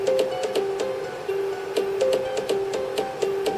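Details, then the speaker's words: Commodore Amiga A3000 with a heavily corroded motherboard, after repair, playing a game from floppy: thin, twangy, tinny music with little bass, volume still quiet; filters not right, owner suspects missing ~2.5 V VREF bias in the audio circuit. "But you can hear it going, yeah, so the filters aren't quite right and stuff on that. It doesn't sound quite right."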